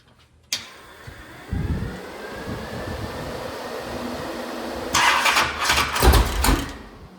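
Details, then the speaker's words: Mopar 580 stroker V8 on run stand, first ever start, Quick Fuel 1150 carb, open headers without mufflers: starter cranks a few seconds, then it catches and runs loud and unmuffled with a couple of blips. "She's gonna start. Thank goodness."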